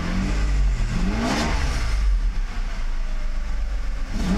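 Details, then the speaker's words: Mercedes 600SL V12 revved after an E-gas throttle control module test ahead of a throttle body rebuild. The rise and fall is smooth and even with no stumble or hesitation: healthy throttle response; the E-gas checked out OK. "let's give it some gas [Applause] all that looks very good to me"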